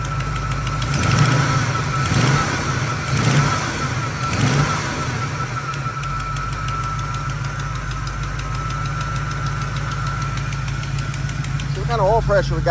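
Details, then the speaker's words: 1979 Camaro small-block V8 from storage, first run after install, choke partly open: steady idle with light, quick ticking on top; exhaust header leak somewhere low, exact spot unknown. "Still got a header leak. Not exactly sure where somewhere down in there, but she sounds good."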